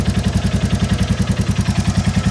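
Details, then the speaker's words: 2022 Royal Enfield Classic 350 Reborn single, warming idle, exhaust-joint blow sealed: steady thumping about eleven beats a second with a light, sharp top-end tick; valve clearances to be sorted before it gets too hot. "if I seal that joint again you can hear that top end tick so let's sort these valve clearances before it gets too hot"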